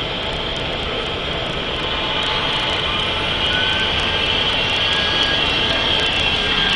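Loud, jet-like high whine over the diesel, with a thin squealing tone rising as it runs on; a failing turbocharger.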